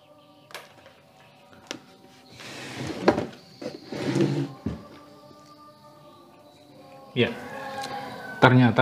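Music plays through the speaker with full tone, interrupted by a few knocks and handling bumps; the amplifier and speakers sound healthy.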